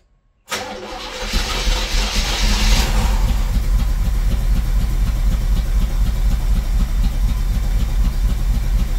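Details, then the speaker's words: 1978 Monte Carlo 305 5.0 V8, rebuilt 2004 probably under 50 miles, 600 CFM Edelbrock four-barrel, unstarted for months: catches after short crank into rough, lumpy idle; hard start after storage, owner suspects carb rebuild, tune-up, possibly fuel pump needed. "well as you saw the motor does need a lot of TLC it turned off on me once on camera but I was actually trying to create more content driving down the street but I was having a lot of issues keeping it on"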